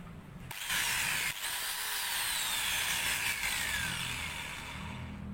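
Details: Maktec MT91A angle grinder, tested during repair for overheating and a growling noise, spins at full speed with a steady, smooth high whine and no rumble or grinding: normal running.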